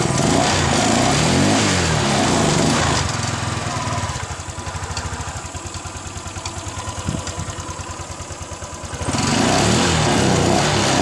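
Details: Kawasaki Ninja motorcycle restarted after flood damage: catches and settles into a quick, fairly even putter of about four beats a second, revs rising at the ends; runs fine.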